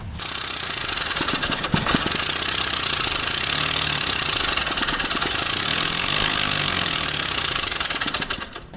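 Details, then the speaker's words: Carbureted Mitsubishi that was knocking, lacking power and backfiring into the carburettor: with the first cylinder disabled, it runs rough and clattering on the remaining cylinders but no longer pops back through the carb, so the fault is in cylinder one. "того выстрела нету понимаете да проблема вся ребята вот в этом первом сиреной"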